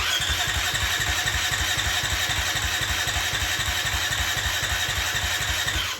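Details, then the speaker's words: Neighbor's large dirt bike, sat for years, oil at perfect level: engine spun over on starter with kill switch on to pump oil into filter; even churn about four compression pulses a second, no firing, winding down; cranks cleanly. "Just to get the oil pumping through the oil filter, I'm gonna rotate it with the kill switch. I'm gonna spin the engine over with the kill switch on. Just to get the oil pumping into the filter."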